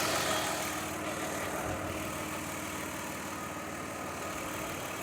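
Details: 2003 Mazda Tribute V6 after fixing the misfiring cylinder's coil, whose arcing came from leaking valve covers: steady, even idle with a smooth, consistent hum and no stumbles or skips; normal idle on all cylinders.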